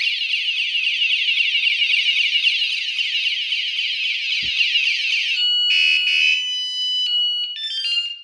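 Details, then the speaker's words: One of two hidden 120 dB vibration alarms on a Pebl bike, other muted, set off by moving the bike after a go-away beep: loud, shrill warbling chirps several times a second shifting to stepped beeps, then cut off; theft alarm triggered. "Now I'm going to actually move it again, and I'm going to make it alarm. But you're only hearing one now. Another go away. So as you can hear, it's quite loud."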